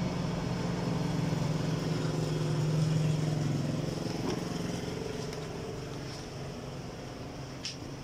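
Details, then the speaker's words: Fujidenzo chiller after cleaning its dirty blower motor; steady low hum with an even, soft pulse. The loud noise came from dirt, not the bearing. "Ayan mga Master Okay na wala ng ano hindi pala bearing ung problema yung sa ano sa may motor niya yung madumi"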